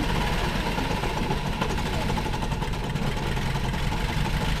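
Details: 1960 International tractor being revived: low, uneven labouring run that never settles, weak and close to stalling; temperature gauge was fine, owners suspect fuel supply and give it gas to keep it running.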